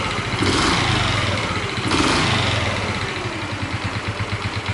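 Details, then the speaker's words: Honda Chaly at idle after engine reassembly: light metallic rattle over an uneven beat, owner suspects cylinder head and possibly crankcase; cam chain tensioner to be checked, cause unconfirmed. "I wonder if there's a rattling sound and the sound is coming from two places? I think it's the cylinder head! I wonder if it's also noise inside the crankcase?"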